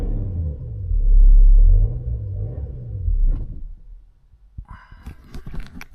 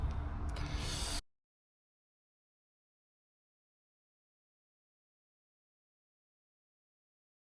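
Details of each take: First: BMW X5 at kerbside, revved: engine revs up, sags, then fades out and stalls about four seconds in, leaving only clicks. Scanner shows current fuel pressure control and fuel pump faults plus cylinder 6 injector activation current fault; mechanic suspects the injector, not confirmed. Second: BMW X5 diesel after injectors were reinstalled in their coded cylinder positions (some possibly mixed up) and air bled from the fuel system; it settles into a steady, even idle clatter with no misses, running well.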